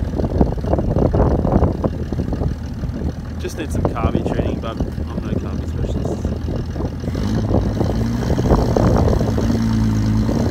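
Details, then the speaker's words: Old XR Ford Falcon ute six-cylinder, last registered 1982, first running under its own power after revival: lumpy, uneven idle with some misses, "like a steam train"; carburettor adjustment suspected. "It's gonna be awesome, but it's moved, so that's a full-on win. Sounds like a fucking steam train."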